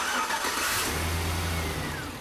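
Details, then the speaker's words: Car after a no-crank repair (starter clicking for a week), negative battery cable reconnected, AIRAID cold air intake fitted: brief crank, then the engine catches at once and runs steadily; starts cleanly. "it sounds great and I never get tired of that AIRAID cold air intake when it's sucking in the air it's a great sound"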